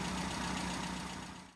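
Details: Automatic with SU carburettor after road tuning (AAF needle tweaked 4,000–5,000 RPM, 20 weight SU oil in dash pot): steady, even low idle, smooth unbroken drone, no misses or knocks; normal idle.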